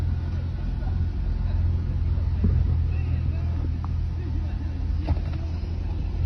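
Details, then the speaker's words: Honda Accord idling after replacing spark plugs and cylinder 2 ignition coil and clearing misfire codes: steady, even low rumble with no stumble or shaking; check light gone, normal idle. "You can see the engine is not shaking again like that."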